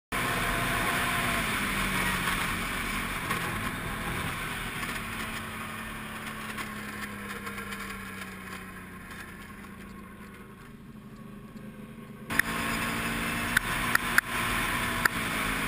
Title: Can-Am Renegade rattling noise